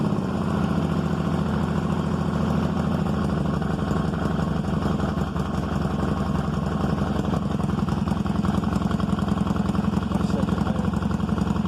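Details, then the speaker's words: 1995 Honda Magna 750 V4 restarted after carb rebuild and new spark plugs, already warmed up: a steady idle with a fast, uneven puffing tick on the exhaust note from a small exhaust leak. "a little exhaust leak i'm not going to take care of beautiful"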